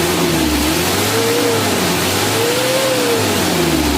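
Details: Mitsubishi L300 diesel, light throttle blips: pulls cleanly through two smooth revs and back, pitch rising and falling evenly with no knock or miss, only thin dust-like smoke; normal revving.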